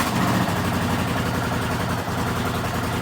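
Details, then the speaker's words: Rebuilt 1979 Honda CX500 twin, just started cold on choke after months standing outside: loud, uneven lumpy idle with occasional stumbles; misfire, owner suspects rotten fuel, small backfire, won't rev up yet. "Yeah, you see that? Oh, bit of a misfire."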